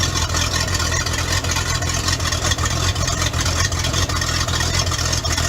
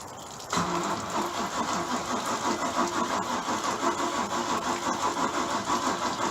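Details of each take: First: Bayliner boat V8 marine engine, cold evening before winterizing, after a dead battery and a starter suspected to be failing: even, steady burble with no knocks or misses; running normally. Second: Bayliner boat engine, old battery sat about a month in the cold and run off a jump box: starter drags it slowly, uneven sagging about three pulses a second, no catch; weak battery and starter going out, later started with added fuel.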